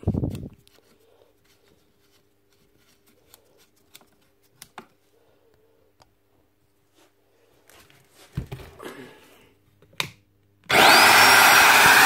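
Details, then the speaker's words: Magpro magnetic drill after fixing a brush with a broken spring that gave no tension against the armature: handling clicks, then the motor spins up to a loud, even whir. It now runs normally; the earth lead is still broken. "It's that fixed, but problem with the lead."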